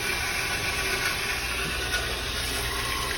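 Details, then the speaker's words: Fleck 2850 water softener on its brine draw cycle during a test after resetting the timer: steady, strong, unbroken rush of water through the valve with no gurgling, normal suction pulling up the salt water. "yep you can hear it nice strong suction which means it's going to pull that salt water up"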